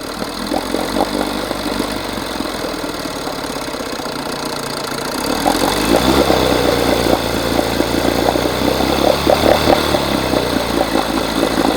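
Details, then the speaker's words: 1980 Evinrude 4.5hp two-stroke outboard before carb rebuild: uneven sputter, beat wandering and rising; runs with fuel valve shut, floods with it open, pulling in too much fuel; owner suspects stuck needle. "So, what I notice is if I shut the valve off, it runs. Turn it on. Pulling in too much fuel."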